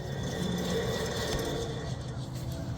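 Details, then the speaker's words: 2018 Toyota Camry SE rear wheel hub, tire off, spun by hand: a steady low growl and droning hum from a worn wheel bearing. It is louder on the road with the wheel on the ground, and the hub assembly is to be replaced. "We got a wheel bearing that's making noise. I done took the tire off, so if you can't take that off, then you probably shouldn't be doing this. Wheel bearing is noisy."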